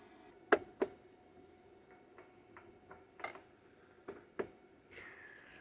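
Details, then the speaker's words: No-crank with an AZZUNO 30-amp charger, which flagged the wet lead-acid battery as faulty. Scattered sharp clicks about three a second and the engine never turns over: a bad battery, not the charger. "well unfortunately it is not going to start our battery but uh that is nothing against the charger it's just as you saw it's a faulty battery"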